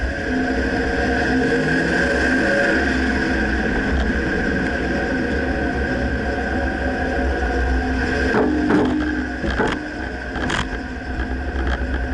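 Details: Dodge Ram while driving: steady road rumble, then three or four sharp clunks late in the run from the front end; source not yet found.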